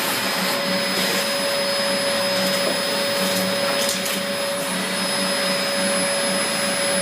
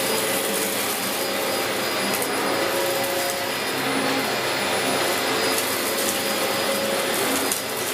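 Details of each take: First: 17-year-old Dyson DC04 upright vacuum during a big-mess pickup test: steady motor drone with a thin airy hiss as air is drawn in through a valve, apparently from a clogged cyclone shroud. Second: 17-year-old Dyson DC04 Limited Edition upright vacuum with a recently refitted belt, doing a big-mess pickup test: a steady, even motor roar with an airy hiss and no labouring; it is running normally. The brushroll briefly jammed once earlier.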